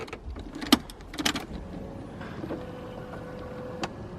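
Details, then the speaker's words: BMW E36 with a swapped M54 six, key on and no cranking, on a flat battery with a jump pack and no coolant. A couple of clicks, then a faint steady electric hum: normal fuel pump priming. "fuel pump prime a little bit"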